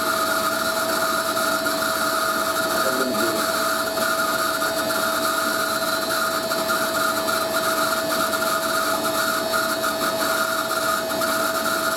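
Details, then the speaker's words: Hoover A3060 Electronic 1100 washing machine on Programme D Fast Coloureds 60°C: a constant high-pitched squeal rides over the motor hum from a dry, worn motor bearing. WD-40 dries out, so it needs grease. "Bloody annoys me, that sound does. Can't be helped though. Just because the motor bearing, once I mean WD-40 doesn't work because it dries"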